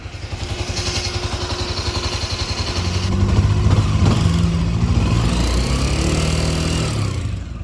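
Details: Honda CB 300 motorcycle: single-cylinder thump climbs as the throttle opens, with an uneven clatter riding over it; abnormal engine noise, cause unclear.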